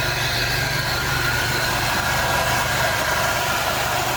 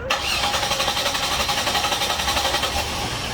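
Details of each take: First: 2001 Monte Carlo 3.8L, after reinstalling ignition module and coil; stalled, stumbled and sometimes wouldn't start. Steady, stable idle with no stumble even while coil, wiring harness and battery cables are tapped; normal idle. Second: 2001 Chevrolet Monte Carlo 3.8L with random stalling, stumbling and intermittent no-start. Steady rapid starter cranking, about four chugs a second, going on without catching, then it finally starts; cause traced to a failing ignition module.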